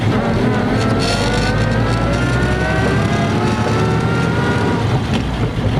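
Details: 1950 Ford F2 pickup, 4-speed spur-gear non-synchro crashbox, double clutched with some bumped shifts: loud engine pull with clear whine rising through each gear; normal straight-cut gear whine.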